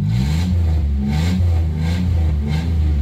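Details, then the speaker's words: 1990 Dodge Grand Caravan LE, sat two months, now refuelled after running out (three gallons to empty), exhaust not yet bolted up: a steady, even low-pitched run, no misfire or stumble; running properly. "she was just out it took three gallons to get to empty good to know actually a that sounds good it's got gas now well it runs it needs a lot more gas so but that's enough for now"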